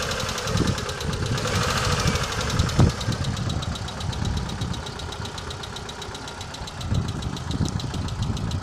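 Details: Mitsubishi Lancer 9: a fast, light, even ticking rides high over the steady idle, the clatter of hydraulic lifters (lash adjusters) knocking.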